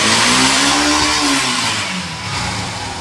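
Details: Motorcycle after the chain was flipped to fix a kat-kat noise, engine running in gear: revs freely with only a steady hiss and drive hum; no ticking or clacking from the chain, which sounds fine.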